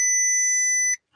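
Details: 2004 Porsche Cayenne S attempted start: steady high electronic chime for about a second then stops; dash check-coolant warning tone.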